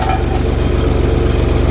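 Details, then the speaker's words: John Deere backhoe diesel after starter replacement, prepping for winter: quick, even strong cranking with no dragging; battery 12.65 V dipped only to about 10 V while cranking, versus 5 V before, good result. "So we saw 10 volts there, 10 point something. I don't remember, but the lowest number I saw was 10 volts. So that's good."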